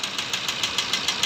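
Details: Maruti Ertiga diesel (Quadrajet) at idle: sharp, even metallic knocks at roughly 400 a minute over a thin idle, a clear diesel knock; crankshaft is suspected but the cause is not confirmed.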